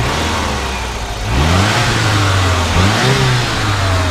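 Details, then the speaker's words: 1986 Saab 900 Turbo coupe: engine blips up cleanly from steady idle and settles back smoothly, no misses, knocks or rattles; a healthy turbo four. "You know, sounds good."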